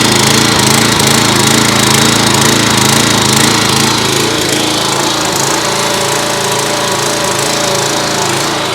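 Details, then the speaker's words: Simpson pressure washer, Kohler SH Series engine, after a second ultrasonic carburetor cleaning: small single-cylinder engine holds a steady, even fast chug with no surging or hunting, running cleanly with no choke at all. Normal running. "That's no choke at all. So that was with no choke at all. So that second time in the ultrasonic really did the trick."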